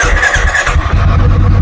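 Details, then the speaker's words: 2017 Royal Enfield Bullet Classic BS4 with new battery: single cylinder thumps unevenly, stumbles on missed beats and dies after starting; misfire traced to a loose carburetor clamp letting air in. "ഞാൻ ഇപ്പോൾ start ചെയ്യാ start ചെയ്യുമ്പോൾ മൊത്തം missing ആണ്"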